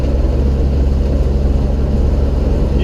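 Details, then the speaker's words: Old truck with 85 hp engine after ignition upgrade replacing worn original components, pulling through a turn in fourth gear without downshifting: deep, steady low rumble under load, no backfire, spitting or hesitation; running clean. "hear as i roll back in the throttle the truck plugs down but it doesn't backfire it doesn't spit it doesn't hesitate throttle rolls right in"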